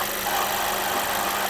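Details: Mercedes A-Class, hot engine after long idling in traffic, absent when cold: steady mid-pitched whirring rattle over the engine hum, constant with no speed change; the cause was found to be a worn water pump.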